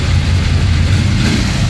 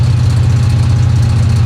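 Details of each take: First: 1966 Chevy Impala V8 after revival from long flood storage, before the first drive: deep steady even lope with no knocks or ticks; engine sounds really good. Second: 1966 Chevy Impala V8 on its first highway drive in over 20 years, pulling hard: fast metallic rattling and tinging over the rumble, heard through the firewall; occupants suspect valves, oil pressure very low and dropping.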